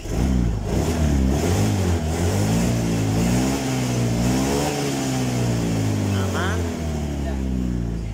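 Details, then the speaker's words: Motorcycle after a workshop visit, revved with engine at 69 degrees (not yet the 80s normal temp) and O2 sensor working: pitch rises and falls smoothly with throttle, no misfire or rattle; engine speed judged normal. "normal putaran mesinnya d1500 normal"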